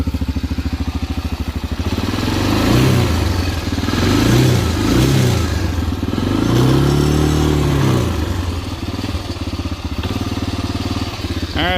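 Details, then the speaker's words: 1987 Honda TRX250 Fourtrax that sat about 10 years, running on a temporary gas tank after carburetor cleaning: a steady single-cylinder thump with clean throttle blips that settle back. It now idles healthily. "all right so we got the car back in and hook up the gas and try this again so that seems to fix the problem turn like a kitten now"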